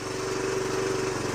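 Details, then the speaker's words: 2007 Honda CT110, sat three years, on choke at steady idle with fast light metallic rattle; loose timing chain needing adjustment. "You can the timing chain sounds really loose in there. Lean it over. You can actually hear it rattling."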